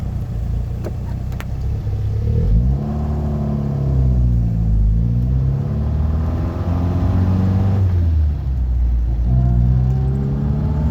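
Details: Triumph Spitfire 1500 engine revved up and down: rough, clattery edge that follows the revs; abnormal engine noise, source not identified.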